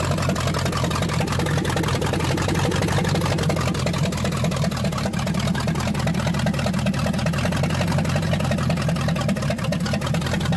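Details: Ford 302 V8 in a Fox-body drift build, just started: a steady, fast drone idling around 2500 rpm, far too high; cause not yet found, vacuum hoses being checked.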